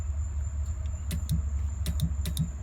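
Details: 1989 Mustang GT 5.0 drag car, checking a newly installed nitrous kit with messy wiring, switch on: crisp, sharp clicks in irregular pairs over a low rumble; the nitrous purge solenoid opens and closes cleanly and works.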